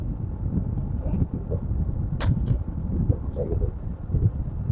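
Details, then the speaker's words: Air conditioner outdoor unit after tightening the casing screws and wedging paper or plastic into the rattling panel. Low, even hum with only fan air noise and a few stray clicks; the casing buzz is gone. "aja nah hilang ya kan tuh sekarang senyap ya Nah gak ada suara sama sekali cuman suara anginnya aja"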